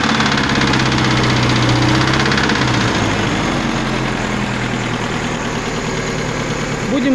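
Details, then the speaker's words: Volga with ZMZ-402 engine: above about 1500 rpm a sharp, regular knock follows engine speed and eases as revs drop; connecting rod knock, traced to a loose spring nut. "итак проблема когда поднимаешь обороты двигателя свыше полторы тысячи начинается слухового двигателя"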